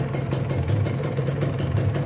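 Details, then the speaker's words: Used Kawasaki Ninja two-stroke motorcycle engine (pre-purchase check), tested on the road: steady low-pitched run with evenly spaced exhaust pops, no knocking or rattle; smooth sound means well-maintained engine, block still good; normal running. "Yang jelas ini suaranya halus, kalian udah bisa denger aja dari suaranya. Kalau mesinnya itu kasar berarti ada kendala. Kalau mesinnya halus gini artinya mesin itu terawat, bloknya juga masih bagus gitu."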